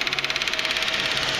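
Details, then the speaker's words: Perkins-engined naturally aspirated 20 kVA Leroy Somer generator set running on diesel and recycled vegetable oil; radiator fans switched on by the temperature sensor, steady rushing air with an even rapid pulse, normal cooling. "y a les ventilateurs qui tournent, qui soufflent de l'air. Pour bien refroidir le radiateur."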